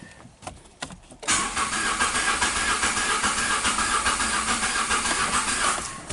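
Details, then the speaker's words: 2016 Nissan Note HR12 supercharged engine, P0302 misfire, rough running and stalling: cranking at about 3.5 beats per second with uneven lope, one weak stroke per cycle; compression waveform shows cylinder 2 dead, cause possibly valves or piston rings. "this waveform is letting me know that it's a dead holder number two why I'm not sure um it could be going through the exhaust valves the intake valves um the piston rings"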